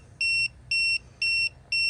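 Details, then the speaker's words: TST 507 TPMS display after the driver-side front sensor was unscrewed to simulate a blowout: four evenly spaced high beeps, about two per second, while it flashes zero PSI with low-pressure and fast-leak warnings; the sensor was picked up almost immediately. "and so it's telling us that the left front the driver's side is reading zero PSI it's flashing you can hear the audible warning we see the low pressure indication along with the low pressure icon and also the fast leak warning so it picked that sensor up almost immediately"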